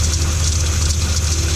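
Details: 2012 Ram 1500 5.7L V8 at idle, fan clutch replaced by electric fan; belt, idler, tensioner, power steering pump and alternator replaced: constant airy whirring from belt area; accessory drive noise, stethoscope points to idler, owner suspects water pump, unconfirmed.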